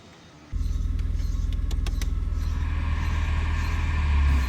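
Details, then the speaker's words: BMW 320i E36 with M50B20 engine, A/C system on R134a refilled and tested: engine idles steadily with A/C compressor engaged, no knocks, squeals or grinding; normal A/C compressor operation. "The compressor is running, and if you compare the temperature with that at the nozzle outlet, you can see that"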